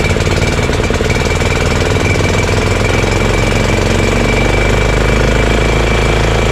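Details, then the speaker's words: Honda GX340 single-cylinder in EZGO Workhorse golf cart repower, after verifying key start and kill switch shutoff: rapid, even thumping at steady idle with no stumbling or surging. Normal idle. "there we go guys we know the engine starts with the key and you can shut it off with the switch and it idles pretty well"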